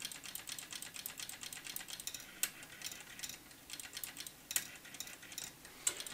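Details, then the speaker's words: Roughly 40-year-old TRS-80 CGP-115 pen plotter (ALPS mechanism) on 5 V power-up test: quick light clicks and buzzy runs as head steps freely, no grinding; head moves fine but pen solenoid not working. "this head is now moving fine however the solenoid is not working"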